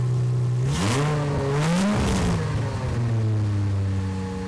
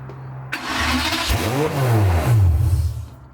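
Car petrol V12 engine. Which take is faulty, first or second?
second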